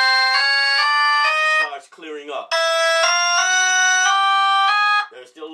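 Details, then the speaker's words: Jensen V21 compression driver in Leslie 122 amplifier setup, played by 1963 Hammond B3: raspy buzz on low notes easing on higher ones; diaphragm rubbing buzz, before diaphragm reset. "so it's buzzing and when it gets on up into the higher note"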